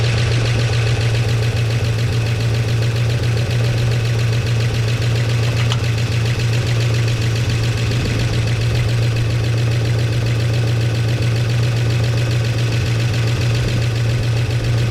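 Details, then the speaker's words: 1969 Chevy C10 engine idling after timing adjustment, oil pressure restored to 50 psi on an added gauge. Steady, even low idle, smooth firing rhythm, no knocking or tapping; healthy, flush and oil change still planned. "Got the oil pressure to run again. And it does sound better, but I got to run the motor flush, do an oil change, get all that stuff out of there."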